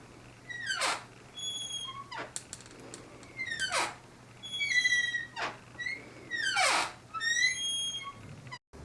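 A door swung back and forth, each swing giving a shrill, wavering squeal from a dry hinge.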